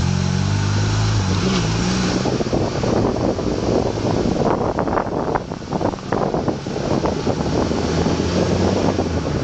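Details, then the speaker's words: Honda Accord, camera held outside the window: dull irregular clunks from the driver's side when braking gently, not in reverse, amid wind noise. CV axles were recently replaced. The cause was a binding caliper, fixed by replacing it. "I got a clunking noise coming from the driver's side uh when I break."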